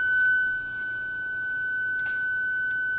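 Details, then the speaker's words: 2000 BMW E39 M5, key in second position without the engine running, clutch pressed and reverse selected: one steady high beep lasting about three seconds. This is Park Distance Control flagging a faulty ultrasonic sensor. "long beep that you just heard was the system notifying me that one of the sensors for the PDC arere Park distance control is faulty"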